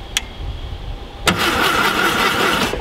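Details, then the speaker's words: VW Thing Type 181 sitting unused since 1989 (32 years): starter cranks about a second and a half without catching; cranks but won't fire, no spark found, points suspected. "let's hit it see if it even sounds like it's gonna start that didn't sound good did not sound promising"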